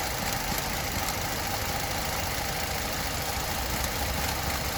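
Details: Opel Astra with new spark plugs and ignition coil pack, no fault codes or check engine light, idles unevenly and shakes with steady rattling knock felt in the cabin and faint throttle clicking; rough idle, cause unknown.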